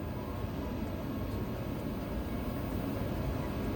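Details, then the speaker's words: Trane XV95/XE80 gas furnace inducer motor after repair of a control board with storm-damaged capacitors and relays: a steady, low, even hum with no bearing whine. Quiet now where it was screaming loud before, and the gas lights. "Oh yeah. And it's quiet, too. Yeah. This sucker was screaming before. It was loud."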